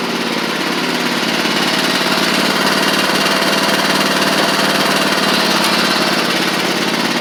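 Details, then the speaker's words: Huskee Supreme riding mower after drive pulley replaced, driving: steady even engine drone with buzzy rattle, no surging or belt squeal; slight residual smoke on old engine, drives normally. "all right so I got everything back on I'm going to show you that it drives like it's supposed to now"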